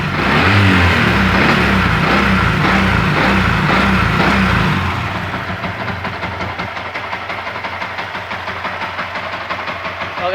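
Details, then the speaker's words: Yamaha MX King after cylinder head work fixing ticking from valves damaged by high-duration camshaft: settles into even beat about four a second with no head tapping; smoother than before. "teman-temannya, untuk suaranya cukup mantap ya, lebih halus daripada yang tadi ya."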